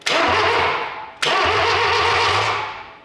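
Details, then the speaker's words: 1968 Datsun 520 after an engine rebuild, with a new coil and electronic ignition distributor, bumped with a remote trigger: two short bursts of steady, even cranking with regular compression thumps; the starter turns the engine over normally. "I just want to bump the key. Let's see what happens. Oh, she's cranking."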